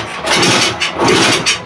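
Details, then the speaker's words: Red Honda CT90 small single after top-end rebuild: short uneven bursts that surge and sag instead of a steady beat; rough running, timing suspected, with a copper washer later found partly responsible. "well that's not good I think this bik is just so now Don time for a new engine"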